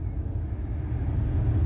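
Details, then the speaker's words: 2007 Ford Expedition 5.4L V8 after replacing the faulty blower motor resistor (vents weren't blowing): steady, even low hum with no squeal, ticking or rattle; blower motor working normally and heating through all vents. "there we go she's a humming so we finally have ourselves front heat again and she's working through all the vents"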